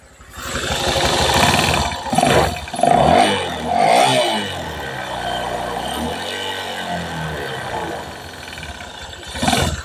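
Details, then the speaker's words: Honda Vario 150 scooter: a smooth idle, then a metallic clattering rattle when the throttle is blipped that fades back at idle. This points to a worn piston knocking against the liner, not the cam chain adjustment; the noise is dominant on the right side when ridden. "kalau ini nak RPM idle halus ketika digas itu ada suara keletrek yang berarti ada gasan piston dengan liner Mas seperti itu bisa piston aus"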